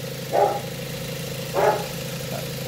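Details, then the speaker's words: Mazda 3 idling after the AC clutch plate clearance was adjusted to fix a rough idle, AC off: a steady, even idle hum with no stumble or miss, a dog barking in the background. The engine is now quiet and smooth. "Ayan, tahimik na yung makina."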